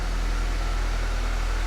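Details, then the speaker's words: Nissan 200SX cold start right after replacing the mass airflow sensor, the only stored code: fires and settles into a low, even rumble with steady hum, no misses, knocks or ticks, no smoke; normal cold idle. "it runs okay it runs and it's running well cold start so let's see if we get any smoke no no"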